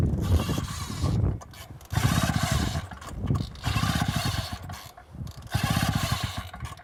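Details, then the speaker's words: Mark III fire pump engine, warm from just running, pulled with choke on: repeated pull-start bursts that churn briefly and die without catching; flooded from choking a warm engine. "No, dude, it was just running. It's warm already. We don't need to choke it now. So, but I think we flooded it at this point, so we need to correct it."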